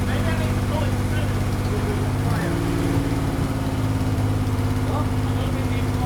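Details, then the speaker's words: Six-cylinder engine at first start on a project car, uneven lumpy idle with a stumbling, loping beat as it revs; misfire, running on five cylinders because one spark plug lead was off when started. "I think it was running on 5 for some of it. Well, it was because I had a plug off when you fired it up."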